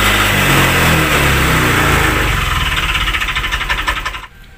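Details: Honda Vario 125 FI scooter after engine rebuild with 100 oversize piston, following coolant leak into combustion chamber. Idling with rough regular tick-knock near four per second, fading at shutdown. Connecting rod suspected though not loose; heard off-throttle below 30 km/h around 2000 rpm.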